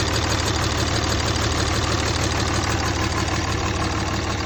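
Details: Replacement short block in a 2003 Cummins 5.9 diesel, a 3500 single-cab dually 6-speed reportedly run out of oil, freshly test-fired: steady, even clatter at idle with regular beat, no misses or knocks; healthy idle.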